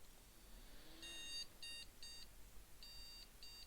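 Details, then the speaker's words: Desktop PC motherboard powered on with no RAM installed and a POST analyzer card fitted: thin high beeps, one long then two short, repeating over quiet fan hiss; missing-memory beep code, the analyzer shows no POST codes. "yeah one one too short but it's not giving us any post codes yeah one long too short"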